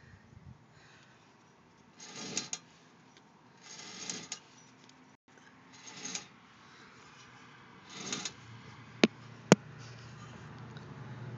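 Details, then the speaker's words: Car with front driver's side wheel off: slow rhythmic scraping about every two seconds, like a marble dropping, then clicks, seemingly from behind the hub; brake pads not worn to metal, cause unclear. "hear like it sounds like i'm marble dropping right after i stop you here click click after that"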